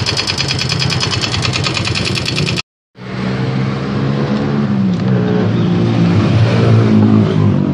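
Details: Yamaha Mio M3 scooter engine revving: light uneven tapping under the buzz rising with revs, described as klotok-klotok knocking; engine knocking noise, cause unknown.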